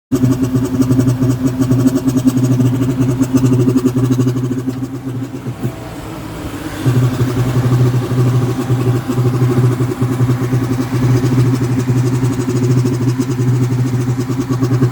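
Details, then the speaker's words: 2000 Ford Expedition 2V 4.6L V8 at idle: intermittent rapid puffing tick on the driver's side that sounds like an exhaust leak, possibly the air intake. It is RPM-dependent and rpm drops from about 1000 when it stops. Cause unknown. "you can hear this noise intermittent sounds like an exhaust leak i'm hearing on the driver's side"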